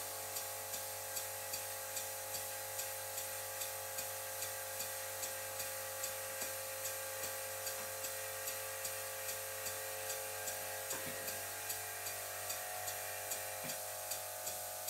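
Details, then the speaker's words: "Silent"-type workshop air compressor running beside a Stuart Victoria miniature steam engine: steady hum with shrill ringing whine and faint tick a bit over once a second; compressor irritatingly loud, most noticeable as the engine slows. "i'm going to leave the stuart victoria running for a while and you'll really start to hear how annoying the sound of this compressor is especially when i slow the engine down"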